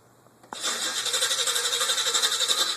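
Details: Chevrolet El Camino: starter cranks at a steady pulsing rate, about four beats a second, with a thin squeal over it; engine never catches; hard start, extended cranking.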